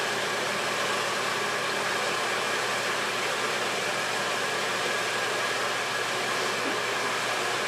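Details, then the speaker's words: Harbor Freight Drummond 1 hp shallow well pump after repair, lines partly drained, restarted: steady motor hiss and rush with no change and no cut-out, not building pressure; owner suspects insufficient priming. "It should shut off once it pressurizes. Let's shut that water off. Might not be primed enough."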